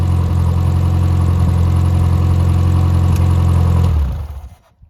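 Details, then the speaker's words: Rebuilt Triumph Spitfire 1500 engine (FM125586UE), crank turned, compression 190–210 psi, oil pressure 80 psi cold, ≥47 psi hot. A deep, even unmuffled drone with a light regular fuel pump tick holds steady until shut-off. Normal healthy running. "The clicking noise is the fuel pump, and does not have a muffler, so it is a little bit loud."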